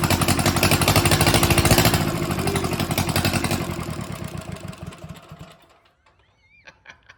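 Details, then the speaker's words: Mitsubishi D1800 II diesel after replacing cracked cylinder head, first start after glow plugs: lumpy clatter swells and sags unevenly, then stalls; rough running and surging, owner suspects air in fuel system, possibly governor. "It's a runner. I have, sounds like I have some air still in that fuel system. I'm sure the air will work itself out."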